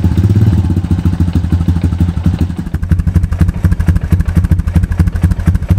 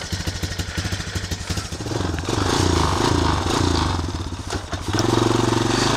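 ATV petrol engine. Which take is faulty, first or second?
first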